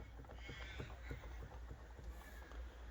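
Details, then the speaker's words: 1/5-scale RC Losi 5T / HPI 5SC gas engine with a loose cylinder head; soft irregular clunks two or three a second under a low rumble as the head moves, after a previous head gasket change, with seepage suggesting a gasket leak. "That head is moving. You can hear it."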